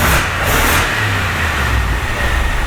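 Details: BMW X5 E70 N62 V8 after engine repair for knocking: quick throttle blip then steady, even idle with no knocking or ticking; sounds healthy.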